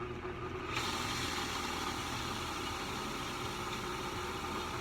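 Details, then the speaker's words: Sta-Rite Max E Glas II pool pump, which had stopped pumping, back on after a repair. A steady, even motor hum with a soft constant whir and no grinding or squeal; the pump is spinning normally. "pump is spinning all pretty successful day took a little longer than we thought"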